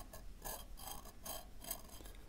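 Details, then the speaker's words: Old stock 1960s–70s air-gap variable capacitor for a crystal radio: scratchy metallic rasps in bursts as the shaft turns, with multiple rotor plates damaged and touching the fixed plates. "yeah multiple plates on this one are touching"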